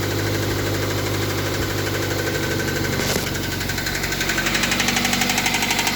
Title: mr2 mk3 engine knocking sound